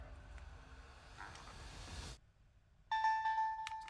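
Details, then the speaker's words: Reshelled Palkia Dialga DS Lite after moving away from the third-party motherboard that gave a low-pitched chime, with mic cable reseated and a different Wi-Fi chip fitted. The two-tone startup chime now plays clean at normal pitch; fixed. "Aha! I fixed it. So this motherboard, for some reason, has lower pitched sound."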